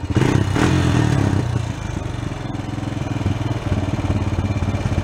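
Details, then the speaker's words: Honda Sport Trac ATV after carb cleaning and cracked case repair, air cleaner on, idle adjusted: low thumping idle wavering and fluttering, slow coming off idle; owner suspects slightly lean, not sure. "a little slow coming off the idle there, which I think is a little on the lean side. I'm not positive of that, though. You can kind of hear how it's dancing around and fluttering still."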